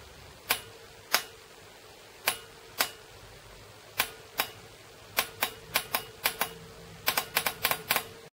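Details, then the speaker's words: Bosch VP30 injection pump from a Rover R45: its fuel quantity solenoid is fed directly from a 12 V battery without load, and the wire gets hot at under 40 A. Crisp clicks come in uneven bursts that quicken, a fast and normal solenoid response. "but without load we hear that the solenoid responds is much faster and the same taste on the other solenoid"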